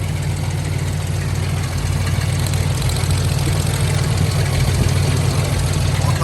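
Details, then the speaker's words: 1997 Lincoln Town Car Signature V8 at idle: low, lumpy and uneven, and pulling coil plug wires doesn't change how it runs, so several cylinders aren't firing; new spark plugs are planned next. "you pulled another one and it came to this number this first one over here too same idea so I'm thinking maybe we're gonna start with some plugs"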